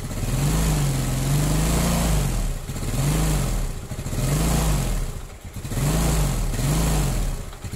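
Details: Yamaha Mio Sporty scooter, hard-starting fault fixed by adjusting too-tight valve clearance: engine catches and revs in repeated clean blips, dropping back to idle, even firing; normal running after repair.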